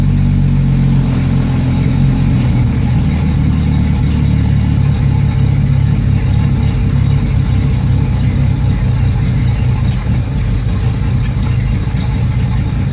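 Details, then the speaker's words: Yamaha F225 outboard: low, lumpy, unsteady idle with slight speed wander; rough idle, revved up and died on its own, cause unknown. "It died on its own. Revved up on its own as well."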